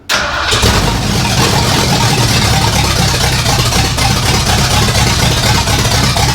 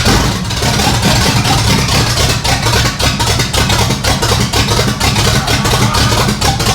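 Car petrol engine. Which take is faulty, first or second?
second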